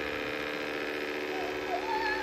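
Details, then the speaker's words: Dreame X40 Ultra robot vacuum, new, cleaning white marble floor after recharging: steady electrical hum with a constant whine that suddenly started and doesn't change pitch; abnormal humming noise, cause unknown. "T'as vu, il s'est mis à faire du bruit d'un coup."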